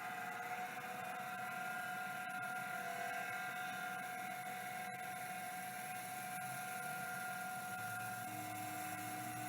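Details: Old hard drive first powered with 12V to the spindle connector: a high steady whine with a gritty, uneven edge throughout the spin. The spindle bearing sounds rough.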